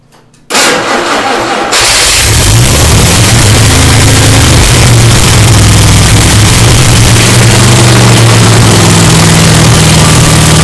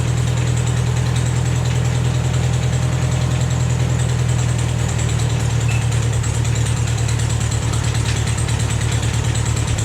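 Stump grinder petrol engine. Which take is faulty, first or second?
first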